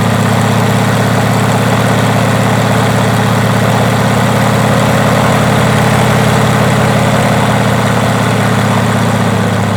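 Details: Rotec R2800 radial engine on an Aerolab LoCamp, chocked, first run after years of storage: deep steady throb with even firing beat, no misses or knocks; started readily and runs smooth and healthy.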